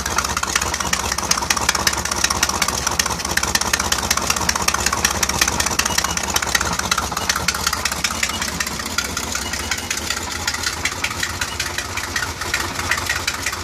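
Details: Mercruiser 4.3L Alpha marine engine at steady idle with a fast, light, even tick a few times per second riding over the engine; suspected rod knock or a bad exhaust gasket, source unclear.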